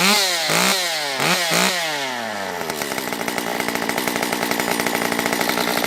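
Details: Stihl MS194t two-stroke chainsaw after repair of a fuel issue and no-start, carb richened on limiters: crisp throttle blips then a steady high-pitched buzz holding speed evenly; runs clean and healthy.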